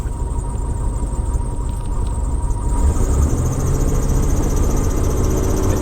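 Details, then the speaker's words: Vintage RV engine on a cold winter start-up, about 18 psi oil pressure; a thin, steady squeal over a lumpy idle that fades under load; chronic slipping alternator belt squeal, usually stops once warm; owner considers swapping the alternator. "alternator is still you can hear the belt squealing down here not you know it's one of those chronic things I'm still trying to work on"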